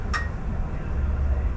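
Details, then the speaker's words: 1972 Datsun 240Z fitted with H4 headlights and a Toyota wiring harness with relays, high beam switched on: one crisp relay click then low hum; relays pulling in, wiring correct. "let's hit the high beam you can hear the relays clicking that's cool so things working fine"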